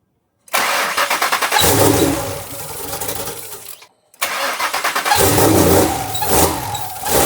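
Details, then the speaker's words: Twin-turbo Mustang built for 1500 hp, first start attempt before a base tune, with a slight oil leak from the feed lines: two cranking bursts with a steady starter chug and brief stumbling catches, never running on its own. "We got it to turn on sort of. Um, we have power. It cranks."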